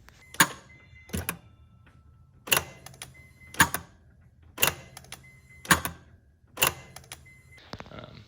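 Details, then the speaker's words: Mazda RX-7 FD sequential twin turbo, ignition on with engine off: aftermarket charge relief and charge control solenoids cycle at key-on, giving sharp separate clicks about once a second; normal charge control valve operation. "So the charge relief and charge control are cycled as soon as you turn ignition on. You'll hear it click. Especially with my aftermarket solenoids, I always hear it click."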